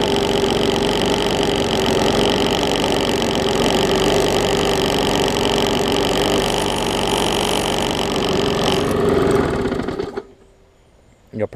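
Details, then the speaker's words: Bolens 21-inch push mower, Briggs & Stratton 500 series engine, built April 2012: harsh shaking rattle about four times a second before cutting off, smoking heavily; internal engine damage and bent shaft, judged too far gone to fix. "it's smoking pretty good and it sounds like we've got some internal damage"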